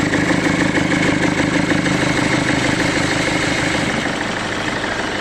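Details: Diesel car with loud, harsh clatter at idle and a rough pulse about twice a second; turbo system suspected, not confirmed; noise fades briefly, then returns after switching off and restarting.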